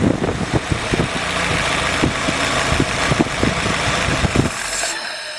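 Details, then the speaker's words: Freshly rebuilt F-head four-cylinder in a CJ5 snowblower Jeep at first start-up, heard at the rear through the homemade muffler; throaty, even exhaust pulses at slow idle with no knocks or misses. Normal idle. "Sounds pretty good for a homemade muffler. I duplicated what the factory one was like. So it's got a pretty good throaty sound to it for a little 4-cylinder."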